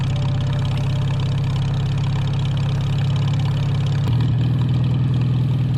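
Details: 1949 Farmall H tractor revived after sitting roughly 10–20 years: steady, even low-pitched idle around 200 firing beats a minute, no misses or knocks; sounds more loaded but smoother. Smooth running engine.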